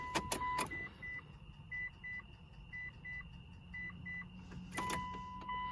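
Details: 2006 Mitsubishi Eclipse GS (4G69) just after fuel pump replacement, key-on prime before cranking: chimes with a brief low electric hum from the tank that stops after a couple of seconds; the new pump primes normally.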